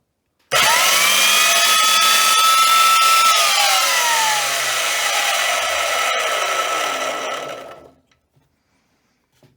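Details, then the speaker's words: Wolf BS3B/BS3W belt sander after recommissioning and regrease, first power-up: sharp start into steady high whir holding pitch, then smooth wind-down without grinding; normal running, back to usable state. "Not bad. Really pleased that we managed to get this back to a usable"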